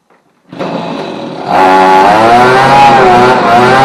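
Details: Victa outdoor vac and blower two-stroke, after a cracked leaking fuel tank was sealed with a hot screwdriver, choked and primed: fires and settles, then picks up to a steady high buzz with a clean even note; running healthy.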